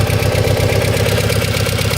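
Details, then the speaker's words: 1992 Plymouth Laser RS Turbo after rebuild, cam angle sensor loosened for adjustment, at idle; loud fast even ticking keeping pace with engine speed over a lumpy idle, owner suspects lifters, not confirmed. "yeah it sounds like it's actually just lifters but that's pretty loud so i should probably look into that uh before i rev it up too much um and find out what's causing the lifter tick"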